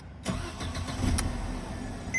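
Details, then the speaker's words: 2011 Mercedes C250 W204 after removing faulty electronic steering lock and installing ESL emulator: starter catches at once and engine fires into steady even idle; normal start. "and that's the car started okay"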